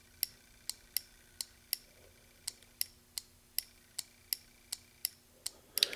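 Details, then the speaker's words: Relay bench test: power and ground applied to the coil give crisp, evenly spaced clicks about twice a second on a quiet background; the relay switches normally. "I'm going to give it a power. I'm going to give it a ground. You're going to hear it click."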